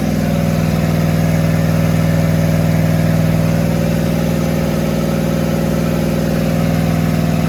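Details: Rat rod small-block Chevy 350 V8 freshly fitted with a turbo cam, replacing the stock one: steady, even lopey idle with a firm low rumble, no knocks or misses; normal idle.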